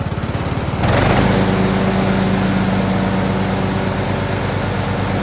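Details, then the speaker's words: Craftsman YT3000 riding mower with a swapped donor engine, after an oil change: catches and holds a fast, steady buzz; blades engage and the transmission feels solid, running well. "right, well, it seems like it's running pretty well. Blades engage, transmission feels nice and solid on here."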